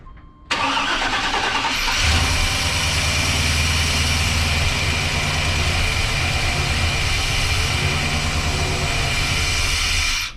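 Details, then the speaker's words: 1995 GMC Sierra 2500 after overheating, suspected blown head gasket, no alternator connected: cranks, catches, rough uneven idle about eight seconds then dies on its own; stalling, a big vacuum leak suspected. "did you shut it off or it shut itself off shut itself"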